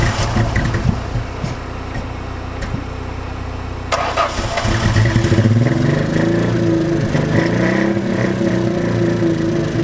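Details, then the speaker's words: Cheap V6 Mustang with 264,289 km, running on only five cylinders: catches after a short crank and settles into a lumpy, stumbling idle with an uneven beat, one cylinder dropping out. "You're down a cylinder, jackass. Let's see how this goes."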